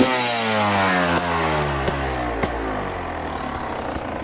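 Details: 2018 Beta RR 300 two-stroke revving then dropping off, with sharp irregular cracks over the fading exhaust note; unusual engine noise, cause not pinned down.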